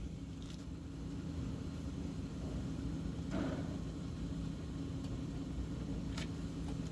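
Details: Citroën/Peugeot 1.6 VTi at idle with codes P0351, P0301, P1337: steady low rumble with a slightly uneven, lumpy beat and one brief rougher stumble; misfire at idle, cause suspected, not confirmed.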